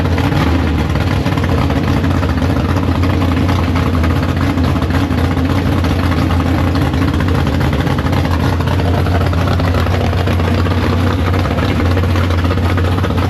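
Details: Big block Chevy V8 in the Farm Fresh gasser, first start after sitting, 750 carb, downjetted; loud, lumpy idle with a steady heavy rumble, no knocks or misfires. Healthy normal idle.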